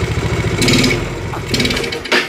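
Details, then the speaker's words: Yamaha Mio scooter fitted with a PE28 carburetor, kick-started: the engine runs but sputters and falls flat each time the throttle is blipped, never picking up revs cleanly. It bogs under throttle. "Ternyata ngempos bener ya, nggak bisa digas ya."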